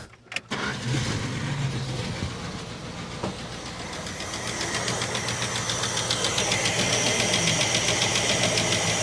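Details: 1967 Plymouth Barracuda restarted after pulling plug leads: cranks, catches, then lumpy, dull, flat idle; suspects distributor set too far out and ignition timing wrong, unconfirmed.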